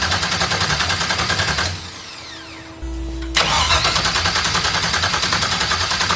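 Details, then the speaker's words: Audi TT MK1 with swapped 2001 Suburban LS engine on a standalone harness, first start attempt with no ECU communication; the starter churns about three and a half beats a second, pauses, then cranks again without firing because the ignition was not hooked up. "noises all right diagnosis time I guess one eternity later I forgot to hook up the ignition"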